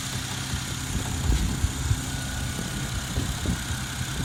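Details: Toyota 1JZ-GTE engine at idle: irregular dull low knocks about every half second, a knock inside the engine whose cause is not yet traced; engine knock.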